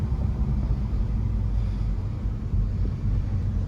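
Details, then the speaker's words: 2012 Mini Cooper Countryman S manual on a test drive: a steady, deep droning rumble seemingly from the rear. Suspected bad rear wheel bearing, not confirmed. "oh we got a bad wheel bearing y'all hear that coming from the back"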